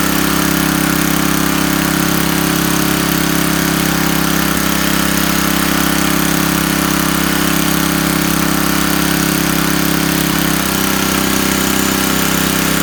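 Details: Coleman Powermate 4000 W generator, Tecumseh 8 hp flathead, after a carburetor replacement fixed its running problem, burning off oil in the muffler: a loud, even drone holding constant speed with no misses, surging or knocks; normal running.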